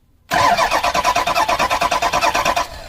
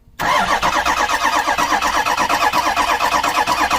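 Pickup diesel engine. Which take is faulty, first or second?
second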